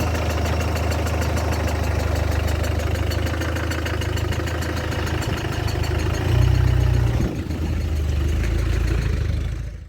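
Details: Land Rover Discovery 300Tdi diesel, restarted after a donor engine swap with a mechanical injection pump, new timing belt, alternator, turbo and valve clearances set. Even idle clatter with one short throttle blip mid-way; it runs smoothly and settles back cleanly. Healthy engine.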